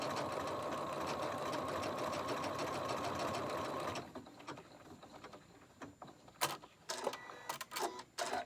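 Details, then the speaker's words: Janome Horizon 15000 sewing a decorative stitch, not embroidery: smooth even whir of rapid stitching for about four seconds, then stops; no clunks or grinding, sounds perfectly normal. "ed so I'm just gonna stick this in and sounds perfectly normal after a while I'm used to the different sounds this machine makes and this is the sound it should make when everything is running perfectly normal"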